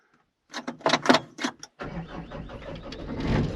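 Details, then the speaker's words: Diesel machine (299) with a weak battery, jump-started with a TOPDON JS2000 jump starter: a few clicks and clunks, then it cranks and starts cleanly into a steady run. "Oh, beautiful. That thing works like a dream. I love it."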